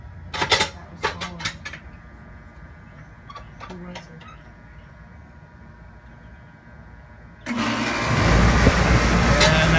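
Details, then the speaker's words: No-cool HVAC outside unit fired up after eliminating the capacitor (tested good) and rewiring: clicks and handling noise, then a steady low hum and whoosh as condenser fan and compressor start; compressor running. "we got a compressor all right guys that ought to do it for this one"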